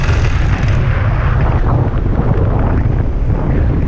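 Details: Hawk 125 two-stroke paramotor after repairing the spark plug cap that had come off the wire: loud, even low drone with no misses or stumbles over several seconds; normal healthy running.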